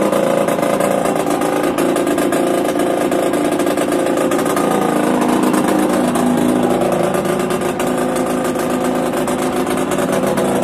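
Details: Yamaha DTR 125 two-stroke, engine from a 2007 electric-start bike, first start after new unrestricted Gilera SC CDI, new seals, powervalve fully open, 240 main jet, Big One exhaust; crisp busy crackle, idling and picking up cleanly, no misfires or knocks, normal running.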